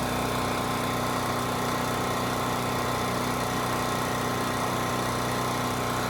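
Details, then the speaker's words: Champion 3000-running-watt 120V generator model 40026 after carburetor cleaning (rusted tank, old fuel), 87 hours; steady even drone with no misses, knocks or surging, normal running. "put a half load on it 1500 watts and it held right at 60 hertz which is perfect so we got a good engine good generator head good carb"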